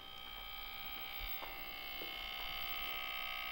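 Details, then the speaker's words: Ikegami TM14-16R 1987 colour monitor, shell off, first power-up before cap kit: a steady high-pitched whine with a buzzing edge from the large yellow power transformer; transformer buzz, cause unconfirmed. "I'm gonna turn this monitor on now and try to listen to this transformer"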